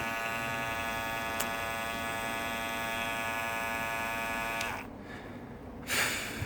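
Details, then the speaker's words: New Andis Master cordless hair clipper running with a loud, harsh buzz from its loose, vibrating lid; quieter when held or lid bent. "it still gets quieter when you hold it so it's just a lid but now you can hear how much louder this one is cuz I've been that one a little bit"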